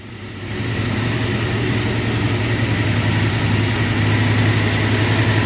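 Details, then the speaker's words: Long-stalled Dodge wagon first run after unseizing, untouched salvaged carb: catches within a second and settles into steady even idle, smooth low beat, no misses or knocks; normal idle. "We'll try and hit the key one-handed here. It's running. It's idling."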